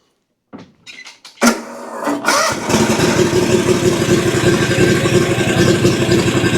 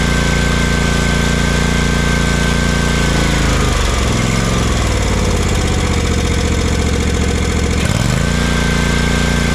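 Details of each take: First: Exmark Vantage S stand-on mower, Kawasaki FS541V, 1181 hours, found with no oil and just refilled with a new filter. Cranks, catches, then runs rough with irregular pops and stumbles. Suspected excess fuel or a sticking or unsealed valve. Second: Kawasaki FS541V twin on an Exmark Vantage S stand-on mower, previously popping, cracking and lacking power with blades engaged; after repair it pulls a steady, even note, dipping and recovering smoothly without popping or stumble: runs beautifully.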